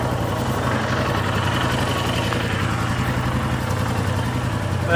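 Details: Royal Enfield Himalayan at about 6,000 km, first start after fitting new exhaust valves, cold weather around -10; even, steady single-cylinder thump at idle with no top-end ticking, a quiet healthy idle.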